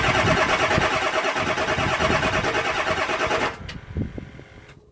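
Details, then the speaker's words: 7.3 Powerstroke diesel at about 60°F after injector shimming work, with the number 8 injector left unplugged under the valve cover: long, uneven cranking at about three beats a second that never catches cleanly; hard start, with a check-engine code. "turns out when you leave number 8 injector unplugged under the valve cover it runs like crap and throws a code and it's hard to start"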